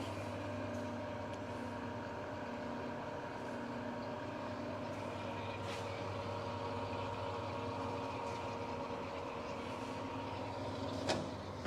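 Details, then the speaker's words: New Precision Matthews PM-1660TL lathe, first run before break-in, headstock in low range gear 1 at 36 rpm: quiet steady low hum, faint even gear whir, no knocks or clatter; nice and smooth, normal. "it's nice and smooth i'm real happy with it"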